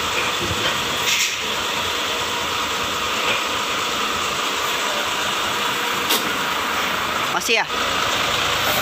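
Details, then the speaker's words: Mitsubishi Fuso 4x2 SL truck diesel idling after clutch adjustment for harsh noise when pressing the clutch: steady idle under even hiss, no grinding, chatter or rattle; clutch now quiet though pedal still too high, normal operation. "Oke, teman-teman, koplingnya masih terlalu tinggi. Namun, untuk suaranya, sudah tidak lagi berisik."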